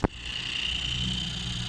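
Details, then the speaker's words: Car headlight height-leveling motor tested on the vehicle: click, then a thin high buzzing whine that keeps running and never reaches its stop, because the small plastic gear inside is stripped, while the other headlight motor finishes. "Ama içerisindeki dişli sıyırdığı için Oraya geçemiyor Ve bu şekilde ses yapıyor"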